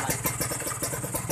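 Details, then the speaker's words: Kawasaki Ninja 150 R two-stroke after carburettor air-screw adjustment, revved: crisp, quick firing pulses under blipped throttle, clean with no stumble or bog; pulls freely, normal revving. "Insya Allah ini ditanjakan atau ditarik nggak berebut guys. Kita coba tarik gas lagi"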